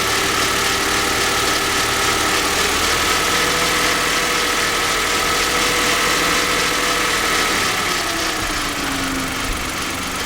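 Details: Kia engine at idle: steady idle with a light, fairly even tapping about three to four per second; persistent knock, seemingly worse than before, cause unknown.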